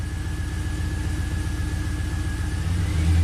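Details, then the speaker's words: 2004 Pontiac GTO 5.7 LS1 V8, 6-speed manual, 34,000 miles, misfire counters climbing on cylinders 1 and 8: engine stumbles with an uneven, lumpy beat, one cylinder dropping out; later traced to a bad spark plug. "So let's start it up, see what it does. It's definitely misfiring. 1/8's counting up."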